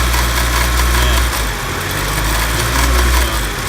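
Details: R32 Nissan Skyline with SR20DET swap, after timing was checked and set: smooth, steady idle with only a gentle rise and fall, no knocks or misses; the engine is running healthy.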